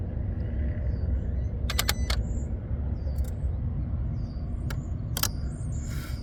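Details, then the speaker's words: 2023 Kia Sorento, engine off and key out for a while: clusters of sharp clicks over a low rumble from the engine bay, the throttle body and an unidentified relay cycling repeatedly after shutdown. "this sounds like the throttle body and then a relay and the vehicle's off it's been off for a while and they just keep cycling I don't know which relay it is but that definitely sounds like the throttle body"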